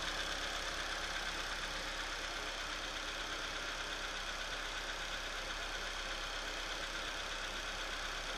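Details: Opel/Chevrolet Astra engine at cold idle just after start, with a hissy, fast ticking rattle of roughly three beats a second over the engine note; abnormal cold-start noise, source not identified.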